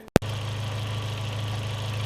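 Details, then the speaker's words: 2003 Audi A4 1.8T Quattro wagon idling steadily and evenly after replacing a broken, fouled PCV valve and 3-way PCV check valve; the misfire, jerking and sputtering are gone. "the car is fixed. Pretty happy about this to be honest. Pretty happy. Um, you can see it's not jerking and sputtering anymore."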